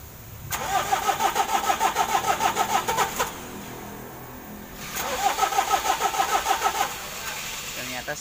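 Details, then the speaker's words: Mitsubishi L300 diesel, hard starting in the morning/cold, weak and lumpy: two long cranking bursts about three beats a second without catching; compression tested below standard limit, needs engine overhaul. "Hai kalau dia dicopot bahwa lentingnya kompresinya sudah kurang dan ini sudah minta sih bongkar mesin"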